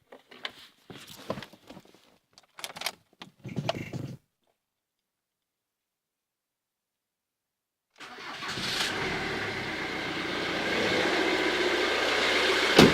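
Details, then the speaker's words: Ford Mondeo 2.0 TDCi diesel restarted after replacing five dead hydraulic lifters (four exhaust, one intake): it cranks, catches and settles into an even idle with no top-end ticking. Repaired and healthy. "lui aucun bruit donc c'était bien des poussoirs hydraulique qui était mort cinq côtés quatre côté échappement et un côté admission"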